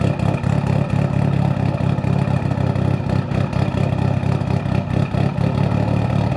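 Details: Built Evo 8 with Kelford 272 cams, idle now solved: an uneven, loping, choppy idle that rises and falls. A healthy big-cam engine idling as it should.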